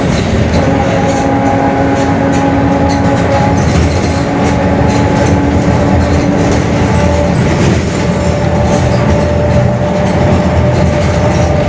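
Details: Mercedes-Benz OF-1721 Bluetec 5 extended urban bus, Mascarello GranVia Midi 2014 body, built 2021, underway: a steady low growl with a faint droning tone over engine and road noise, from a growling differential.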